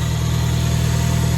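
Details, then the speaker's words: 1974 Fiat 124 Spider with swapped K-series engine, first start, idle screw moved; steady fast idle with even low drone, no misses, RPM too high per gauge; idle could probably be lowered. "My RPMs are pretty high. So I could probably lower the RPM a little bit. I'm gonna need to adjust the idle to do that."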